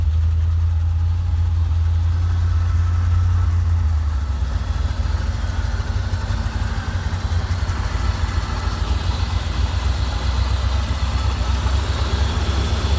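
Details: 1987 Chevrolet Corvette after unflooding: loud, lumpy low rumble with an uneven, wandering beat; it dies when throttle is released and floods again, with fuel getting into the oil, owner thinks past the piston rings.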